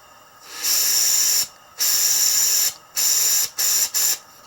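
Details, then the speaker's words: Kurt power drawbar on compressed air: loud sharp hissing in repeated bursts with near silence between, air leaking at a fitting; probably needs taking apart. Compressed air leak. "get this out of the way and bring this one down okay so it's actually leaking right here too yeah probably just needs taken apart let's see"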